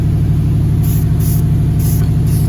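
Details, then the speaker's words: Impala running after battery charge, had been reluctant to start for unknown reasons: deep, even V8 throb with steady beat, no misses, knocks or ticks; sounds like purring; normal idle. "Because I mean, she sounds like she's purring, but whatever, it is what it is."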